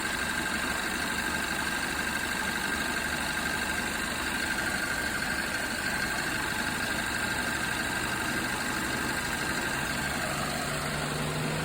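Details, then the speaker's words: Hyundai Tucson at idle with AC running after compressor replacement and a recharge of about 550 g. Steady idle, then a low hum as the condenser fan cuts in; high-side pressure drops and low side rises. Normal. "can hear the condenser fan cut in there. Watch the high side pressure should drop now, which it is. And the low side will come up."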